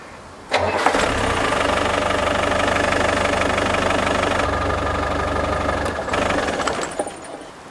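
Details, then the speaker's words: Land Rover Defender that stopped on the road, after replacing a failed part and wiring from the starter switch to the fuel pump and solenoid: brief crank, then it catches and runs steadily before shutting off; fix works. "this out start stop result and if you can hear that as a mechanical fuel pump really cool and it works Matt and I'm really chuffed with that nice and easy fix"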